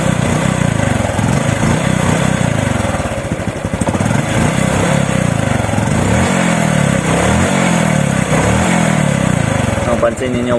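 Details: RS125 FI single-cylinder motorcycle, after replacing a defective spark plug cap that caused hesitation and loss of power on acceleration: revs up and settles into a steady, even firing rhythm with no coughing; normal revving.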